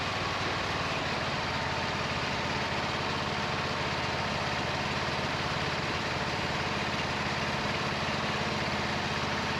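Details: 26 HP Kohler V-twin mower with a long-running intermittent misfire: a rough, lumpy, uneven beat as one cylinder drops out. A timing-light inductive pickup confirmed one ignition coil is dead, giving no spark. The owner notes rich black exhaust smelling of unburned gas.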